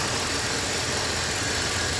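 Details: 2006 Dodge Ram 1500 Mega Cab V8 idling after new spark plugs and valve cover gaskets; steady, even idle under a loud hiss, no skips or stumbles, all eight cylinders firing; the oil smoke from the exhaust manifold has burned off.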